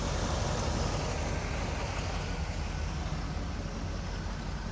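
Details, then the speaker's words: 1976 Cadillac Eldorado Biarritz, idling after an oil and filter change with no oil light: smooth, even, quiet low idle with no knocks, ticks or rattles; engine sounds healthy. "Listen for any badness. She sounds nice and quiet to me."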